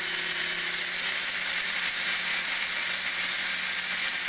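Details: Electric RC helicopter (Furion 6 or Align Rush), iKON flybarless governor, HobbyWing RPM sensor, Castle HV ESC, in stunt 1 at 2200 rpm after spool-up: high steady whine holding level with no surging; the earlier rise-and-fall hunting did not recur.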